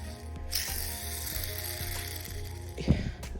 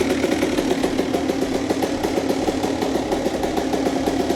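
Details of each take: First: Honda CR125 two-stroke rebuild: removed, likely original crankshaft main bearing spun by hand gives a gritty, ratchety rattle instead of a smooth spin; worn bearing. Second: Honda CR125 two-stroke with Pro Circuit pipe, first start of the day after a full rebuild: crisp, rapid popping that holds an even idle and picks up cleanly on the throttle; engine sounds healthy.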